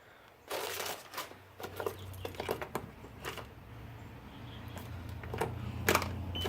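Irregular dry clicks and a few faint chirps over a low hum; the starter never turns the engine over, so it won't start.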